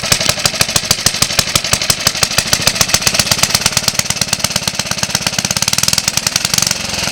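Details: Suffolk Colt 12-inch lawnmower single, first start in about 20 years after full strip-down rebuild with new valve and ignition coil gaps set: crisp, even firing around ten beats per second held steady; running cleanly.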